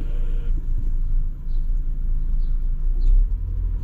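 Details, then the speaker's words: BMW M240i driving on the road after the owner replaced the left wheel bearing that had been making a weird noise: even low road rumble with no hum or growl rising with speed, so the noise seems gone. "is it gone I don't know if it's gone I gone I think it might have gone but I think we've done it it was the left wheel bearing"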